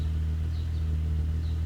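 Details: 1998 VW GTI VR6 with Magnaflow exhaust: deep, even exhaust drone with no misses, pops or knocks; engine and exhaust sound healthy.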